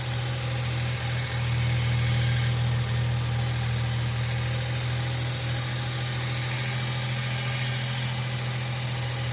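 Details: 1995 Geo Metro at idle: light, quick top-end ticking, around three a second, over a steady low idle hum. Lifters are suspected but unconfirmed. B-12 fuel injection cleaner is being added to the engine oil before an oil change.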